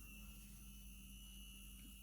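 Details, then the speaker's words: Small DC motor in a variable-resistor circuit with a switch, on a source of almost 12 V, turning very slowly as resistance rises and the voltage left drops to about 0.7 V; quiet, low, steady hum with a faint thin tone. "listen to that the the the motor is turning very very slowly if i were to continue now we have we are left with 0.7 volts okay"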